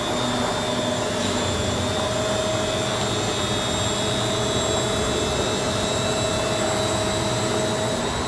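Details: Beko D5 7101 washing machine with plastic drum after bearing and seal replacement: smooth, even spin with a steady motor whine and no growl or rumble from the drum; bearings sound healthy.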